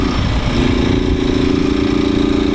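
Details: Small single-cylinder motorcycle, 4 mm-stroked engine with aspirated head, idling: uneven rattling beat on each firing pulse, like something loose knocking inside; source unknown.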